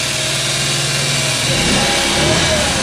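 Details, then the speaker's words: Scooter sitting for years, just started: quick, busy ticking chatter over revving small four-stroke, rising with speed; noisy chattery valves, smoky, burning oil, owner blames smoke on valve seats and valves need adjusting. Valve chatter. "You can definitely hear the valves at play here. They're pretty noisy, they're chattery."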